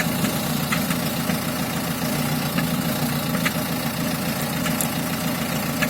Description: Странный звук дизелька